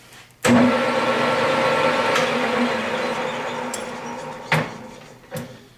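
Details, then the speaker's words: Millport 1340 lathe, 220V 3-phase, run through spindle speeds 650, 900, 1300 and high speed 1800 rpm: thump into steady even gear hum, no knocking or grinding; spindle sounds healthy. "900. 1300. And the high speed of 1800. So as you can hear, it absolutely runs beautiful."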